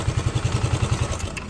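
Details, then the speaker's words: Suzuki Lets scooter after greasing: even putt-putt idle, about nine beats a second, no knocks or rattles; engine noise gone. "य देखिए कर दिया start कर दिया अभी कुछ इसका साउंड नहीं अभी पूरा टिप टप हो गया"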